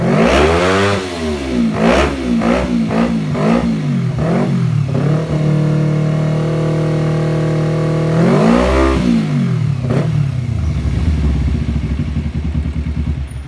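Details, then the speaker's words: Kawasaki Ninja 250 carbureted, fuel-thirsty and sluggish, before carb tuning: throttle blips rise and fall lazily with delayed, hesitant response. "dari suara kawan-kawan juga bisa dengarkan sangat terdengar dari Irama putaran mesin pada putaran mesin itu sedikit delay dan kemudian tidak enak banget pokoknya"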